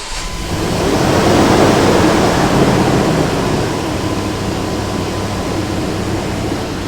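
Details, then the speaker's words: Dodge Durango, purely mechanical fan, new fan clutch just installed: loud whooshing roar swells at start-up in full lockup, then eases within about half a minute as the fluid settles. Normal engagement. "Now this thing should run in the full lockup position, so the fan's going to roar for a while, but after a couple minutes of running, it should settle down to a lower RPM as the fluid begins to settle into the different areas which it needs to be, and the fan job should be complete."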